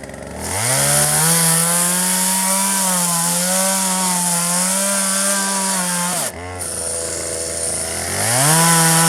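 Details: 1997 Poulan 2150 chainsaw, 23 years old, owner guesses 2.1 displacement; warm, just run; dull chain cutting box elder tops. High steady two-stroke revs, bogging slightly in the cut then revving freely; normal cutting.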